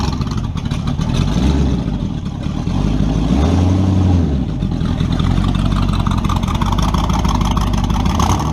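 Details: Engine falls flat on its face when floored on a driveway test after carb tuning and vacuum advance reconnected, revving briefly then sagging to lumpy idle: wide-open-throttle bog on 350 small-block Chevy, 9:1, Melling hydraulic roller cam, twin Edelbrock 600 carbs jetted lean; rich/lean unknown.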